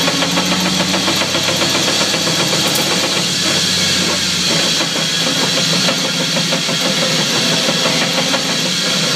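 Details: 2004 Chevy Silverado: steady engine hum with irregular dull driveline clunks every second or two despite brand-new driveshaft and U-joints; source not yet found.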